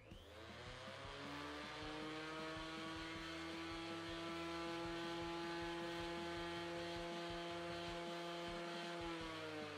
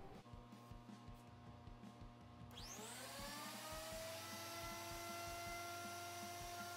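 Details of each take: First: Repaired planer run with no dust collector and no material, hold-down plate swapped for one of possibly different weight: motor whines with a rough throb about twice a second, vibrating worse than before; owner unsure whether the plate or a disturbed bearing is responsible. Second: Thickness planer after repair with plates replaced and bolts Loctited, cutting a cutting board. Motor spools up to a steady whine with even cutting roar, no knocking or rattle; back in working order, normal cutting.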